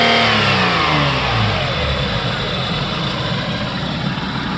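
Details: Toyota Avalon just after a radiator replacement and coolant bleed, following a blown radiator and overheating: a clean rev falls smoothly back toward idle with no stumble, knock or hiss; normal revving.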